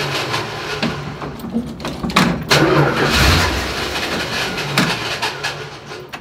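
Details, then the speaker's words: Dodge Dart, very cold with choke barely on: short cranking bursts catch into an uneven running engine that sounds like it wants to die but keeps running on its own; starts and runs. "it wants to die it sounds like but it's also cold as hell and the choke's barely on it's running though that's all that matters"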